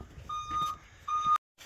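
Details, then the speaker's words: Crew cab truck reversing with failed brakes (leaking brake fluid): two clean steady high-pitched beeps about a second apart over a quiet background; backup beeper working normally. "always important to have a backup beeper that works especially when your brakes don't"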